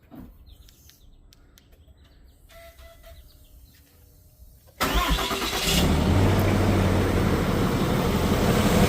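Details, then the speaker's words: 2026 Ram Cummins diesel on heavier 5W-40 Valvoline Premium Blue, quasi cold start in cooler weather: quiet, quick crank and catch, settles into steady even idle with no rattle or knock; normal. "So as you can see there, guys, we didn't have any sound."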